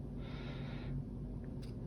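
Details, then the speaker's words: Tsurinoya Dark Wolf 50 BFS reel, brakes at zero, stock bearings before the ceramic upgrade: the spool spins freely with a soft, even whir, little or no side play, very quiet and smooth, normal. "little or no side play and it's very quiet very smooth it's very nice"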